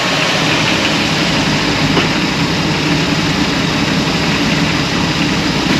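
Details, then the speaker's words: Holden VL, cold start two days after an oil change with Nulon Lifter Free added: cold idle is smooth with no clear lifter tapping, valvetrain quiet; the additive appears to have reduced the usual morning lifter noise. "so the the newon lifter free look it's probably not a miracle juice but it is really made a difference"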